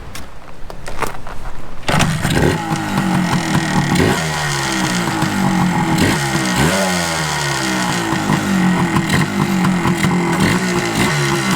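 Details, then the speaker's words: 1981 Suzuki TS250 two-stroke, after carburetor bore setting corrected: kick-started, it catches and rings out with crisp blips rising and falling cleanly with throttle; runs strong and powerful, normal running. "That thing is powerful. That sucker. You crack that throttle just a little bit, she'll stand right up on you. Now, that's how a 250 should be."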